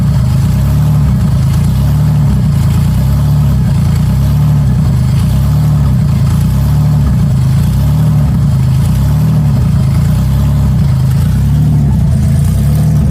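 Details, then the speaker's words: 1994 Cavalier 5-speed, built 3400 V6 with strip cam and open exhaust dumping down, oil pressure checked by transducer: loud deep steady idle, even firing, no knocks or misses; running healthy. "This is awesome, guys. It runs. Sounds amazing. It's just really loud."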